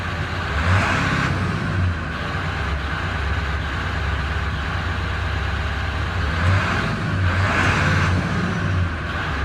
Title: 7.3 powerstroke rough idle .HELP!.!